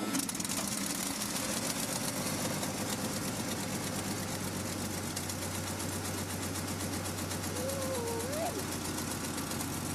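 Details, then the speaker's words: REO M-35 truck after head gasket replacement, very cold start held on a little throttle: fast, even clatter, firing steadily without misses; slight idle trouble while warming is normal. "So this time the truck started and we used the throttle to keep it running as it was really cold, and so we needed to let it warm up a little bit. Now you'll notice that it was having a little trouble idling, but as long as you kept a little bit of throttle to let it warm up, but that's normal."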